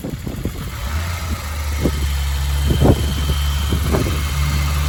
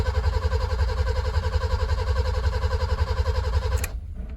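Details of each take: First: BMW E30 323i six, sat over a year, restarted in garden with no radiator and exhaust covered: a few sharp catches, then smooth low steady idle with no tapping or misfire; normal start and idle. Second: BMW E30 323i sat over a year, radiator removed, good battery: steady starter cranking at nearly four even compression beats a second, never catches or fires, then stops; fuel smelt so fuel pump working; cranks but no start.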